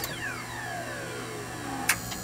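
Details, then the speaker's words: Betson claw machine, restored with fuses replaced after a bridge-wiring short: smooth falling motor whine as the claw travels, then a brief clack as it drops and returns home with relays firing; normal claw cycle. "what you're hearing are all of these relays which are underneath this label firing as needed"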